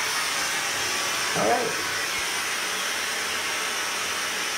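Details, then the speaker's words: Kohler K9 steam generator, Model 1659, from 2008, after repairing error 5: float switch tested and leaking pipes soldered. Steam flows with a steady, even hiss and no knocks or sputters. Normal steam output with no visible leaks. "it's all closed up fired up water let's go seems like it's boiling there's no leak here there's no leak anywhere i hear the steam i don't necessarily see anything leaking here i think this is good"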